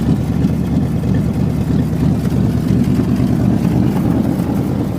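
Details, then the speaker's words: 1988 Chevy Silverado, fuel-injected, starting easily after sitting neglected: a steady rough V8 idle with a raw, puffy, unmuffled rumble. It is smoky and the owner thinks it needs valve seals. A hole in the exhaust is suspected. "Smoky. Needs valve seals. Really needs painted. I think there's a hole in the exhaust. Definitely."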